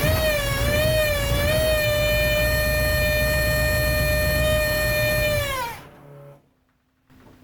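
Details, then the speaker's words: 1973 Buick Apollo with Chevy 350 small block and Holley carburetor, running poorly: high steady whine like a cat at start-up, pitch swaying, fading at shutdown; cause unclear. "what and work making things sound like a cat whining ya hear that the heck was that mess"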